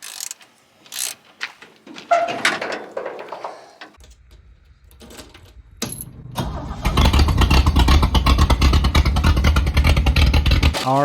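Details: 1970 International Harvester Scout 800A after replacing the old wiring harness: cranks, catches and settles into a steady, even petrol run with no misses or knocks; healthy.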